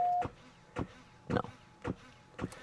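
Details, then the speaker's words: A jump starter frozen two weeks at -4°F, connected to a dead 1.097 V battery: a beep, then repeated clicking just under twice a second and no cranking. The starter is too weak to turn the engine. "now we hear the famous clicking okay let's go back outside"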